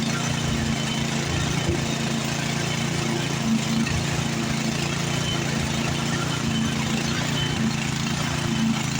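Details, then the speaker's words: Like-new Craftsman snowblower warming up with choke off, before engaging the auger: the small engine idles with a slow, mild rise and fall in speed; idle surge. "here starting to Serge a little bit I bet when I engage that auger I bet it's going to do more"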